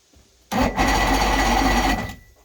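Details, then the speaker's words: Chrysler Courier boat engine during rebuild, battery just hooked up, water not connected: about 1.5 seconds of steady cranking without catching; owner says it just needs gas. "Just needs gas. We'll see how it goes, I guess."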